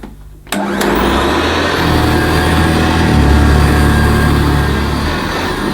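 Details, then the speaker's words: Hoover Senior C1300 commercial upright vacuum cleaner at first switch-on after agitator replacement, on the highest setting: click, then a steady even whir with a firm low hum and no rattles; running normally, lovely-sounding motor. "That sounds lovely, and I've got it on the highest setting, so I might leave it on the highest setting actually. That's got a lovely sounding motor."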